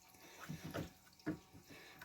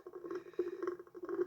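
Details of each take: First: Irwin 42 boat, holding tank pump-out after the air-sucking problem: scattered splashes and watery sloshing with no hiss of air; air is no longer pulled through the head, so the pump-out is flowing normally. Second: Irwin 42 boat, holding tank being pumped out: irregular wet gurgles and bubbling bursts as air is sucked back through the head; the owner guesses the tank vent is clogged.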